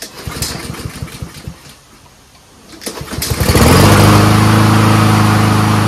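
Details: Troy-Bilt 21-inch front self-propelled mower with Honda engine, after self-propel cable adjustment: a few pull-cord tries, then it catches and settles into a steady, even drone; running fine.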